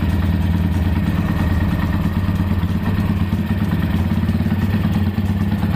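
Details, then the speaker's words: Tiger single-cylinder motorcycle, rough engine noise repaired after a worn, low-quality rubber part was replaced: even steady idle with smooth low thump, no top-end ticking; oil circulating, now smooth. "olinya udah muncrat-muncrat bosku kalian berarti ini udah beres suaranya juga udah halus"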